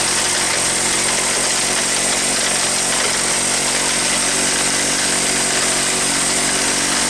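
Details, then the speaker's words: Honda ATC125 parts ATV, restarted after stalling with a death rattle, plug not fully seated to limit oil fouling: harsh constant grinding over fast single-cylinder run, like chopping something with bones; engine believed worn out, cause not confirmed. "well the good news is that it started the bad news is it sounds like i'm uh i'm chopping vegetables we're actually chopping something with bones in it"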